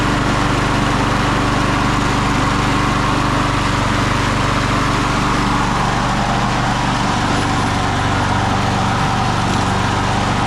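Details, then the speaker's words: 1999 Craftsman push mower (mulcher), Briggs & Stratton 6.0 hp Quantum, primer start, 25 years old and barely used, first start in over 20 years: steady single-cylinder run with an even beat and no surging or stumbling, slight smoke while warming; running normally. "We'll just let it run for a few minutes. She's got a little smokiness going on. Let it get hot and quit smoking."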